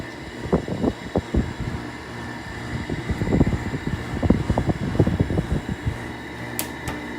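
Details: Sharp 6,000 BTU window air conditioner from the 2000s, running on low cool: steady low fan and compressor hum with a few uneven light knocks, screws not fully tightened; the unit is running normally.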